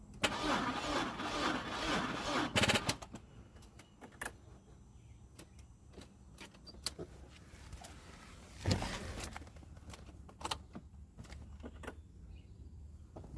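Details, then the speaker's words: 2002 Audi A4: cranks unevenly for about three seconds, never fires, then scattered clicks. Service brake light is on; owner suspects an undercharged battery or a poor connection. Crank, no start. "yeah so you guys can hear the battery's still not charged enough that's where because these lights are on so something is not getting a connection somewhere"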